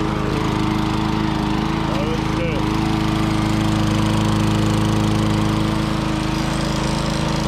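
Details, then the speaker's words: 1994 Lawnboy 10310 push mower repowered with a Tecumseh LV195 engine runs steadily without much surging, with a faint regular light knock beneath the drone as the engine is old and tired. "Since it doesn't really surge a lot and it's just getting old and tired and you can hear a little knocking."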